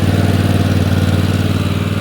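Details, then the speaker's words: Replacement engine just swapped into old worn Husqvarna riding mower, first run, spitting and burning off oil, not yet warmed up: smooth regular beat at steady fast idle, no knocks, misfires or rattles; sounds healthy. "So, let me pull this away. I mean, let that burn off. Uh, does sound good, though."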